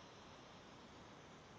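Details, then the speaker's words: New 1/8" air micro die grinder not running: a faint, steady hiss of air, likely escaping from a loose fitting or gasket on the air line, still present after tightening but quieter. "Got to be on really tight because let me see, there's a small little hissing"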